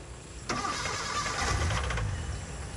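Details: Futura that dies and stalls on the road, ignition fed by jumper as no power reached it though fuses were fine, fuel possibly near empty: starter spins steadily a couple of seconds, engine never fires; crank no-start from lost ignition power.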